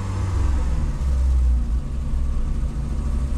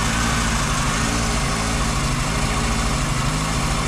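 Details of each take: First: VW Golf 2 with carburettor, owner blames the carb, choke partly on: deep engine drone rises, then sags and pulls back up unevenly when accelerated, with a low rumble; engine bogging at low revs, cause unclear. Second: VW Golf 2 carburetted engine at cold idle on choke, with top end that usually clatters when cold: steady, even low rumble with no ticking or clatter, lifters quiet; normal cold idle.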